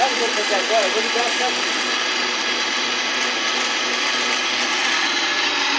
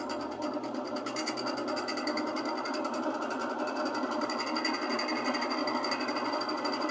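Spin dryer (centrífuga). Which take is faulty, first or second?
second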